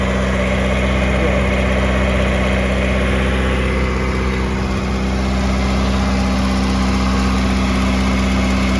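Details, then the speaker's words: 1986 Pontiac Fiero daily driver after a tune-up with the idle controller pintle pulled and a new fuel filter fitted: it previously wouldn't idle and now runs, coming down from high idle into an even, steady idle with no misses. Normal idle. "It's going to come out of high idle, but it actually runs now. It wouldn't even run before."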